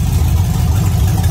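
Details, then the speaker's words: V8 warming up near 193 degrees after a few minutes, no leaks: lumpy, uneven idle with occasional skipped beats, audibly missing; owner suspects low fuel pressure, not yet diagnosed. "Nothing leaking. You can hear it missing. I think that's low fuel pressure."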